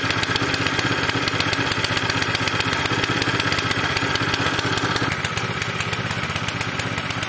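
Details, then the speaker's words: Zipper plate compactor reported to start, run and die, smoking and lacking power, with very little fuel: a fast popping exhaust beat that stumbles and changes character, rough and misfiring. Owner plans to clean the tank and carburetor; cause unconfirmed. "Cześć dzisiejszym odcinku taka zagęszczarka co się moi drodzy z nią dzieje Zaraz zobaczymy ponoć odpala coś tam chodzi i gaśnie"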